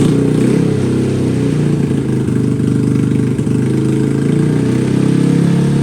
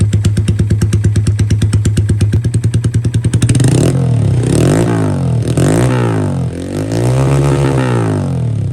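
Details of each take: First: Honda Grom (SF frame fitted with an OG Grom engine after engine failure), cold start just after the swap: the small single holds a steady, fast idle that won't drop with the throttle closed; high idle from cold start, settles down. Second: Honda Grom SF with OG Grom engine swapped in after original engine failure, warmed up, different injector and cam, ECU self-tuning: even idle, quick throttle blips dropping straight back without hanging; running good.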